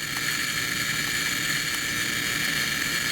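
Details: High-voltage generator powering a gas discharge tube (electron beam through near vacuum): steady high-pitched buzz with faint crackle, like a neon light up close. This is its normal running noise.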